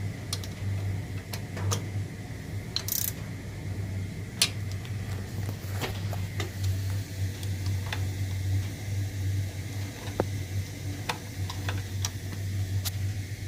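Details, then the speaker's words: Newly replaced hot-water heating circulating pump, wired to the boiler, running after install: steady low hum at one pitch with faint scattered ticks and water circulating in the pipes; runs smoothly, healthy. "And as you can see, it's running nice and smoothly, and a job well done. I don't know if you can hear the water, but it's circulating through these pipes now."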